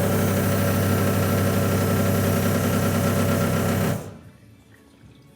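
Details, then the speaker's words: RWD-converted Mk2 VW Scirocco with a 1.8T 20v engine and Emerald ECU, ignition switched on with the fuel feed and return lines in a jerrycan: the fuel pumps give an even electric whirr, pulsing briefly for about four seconds, then stop; they prime normally. "fuel pump's prime as they should which is awesome"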